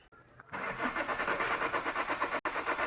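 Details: Chevrolet Cruze that cranks but won't start: the starter turns the engine in a steady, even rhythm but it never catches or fires; the cause is suspected but not confirmed.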